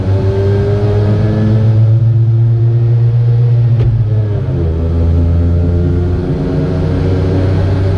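Harsh buzzy note whose pitch dips then climbs as the throttle changes, with a rough edge; this small two-stroke sounds wrong.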